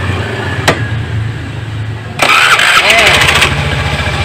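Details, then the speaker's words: Honda Beat scooter, starter was rough and too weak to crank; after starter repair with new brushes and armature housing, tested five times: quick, strong crank with a crisp whirr, catches at once and runs smoothly; normal electric start. "kali percobaan hasilnya Alhamdulillah halus dan dinamo sudah kuat lagi untuk mengangkat starter ya"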